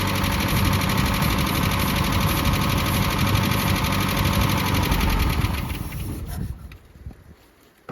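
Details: 1988 Mazda B2200, carbureted, first start after 13 years sitting, with the carburetor fitted and ignition reconnected: loud, rattly, popping exhaust over a rough idle, then the engine dies. Loud exhaust; the muffler is blamed.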